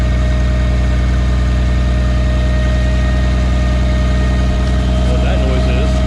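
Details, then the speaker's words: 1951 Studebaker Champion, first run in 35 years after a carb rebuild, with the cooling system probably empty and hitting all six cylinders. Steady idle with a constant thin whine over the engine note; owner suspects the dry water pump, not confirmed. "no accelerator pump just falls on his face a water pump making that noise because there's probably no Cooling in there"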